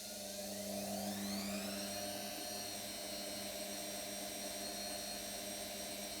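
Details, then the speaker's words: New brushed-motor washing machine, empty and unlevelled, spin cycle: whine climbs as drum spins up, then holds steady high tone over constant hum; owner suspects noise is from being new. Motor whine on spin. "that noise maybe because it's new"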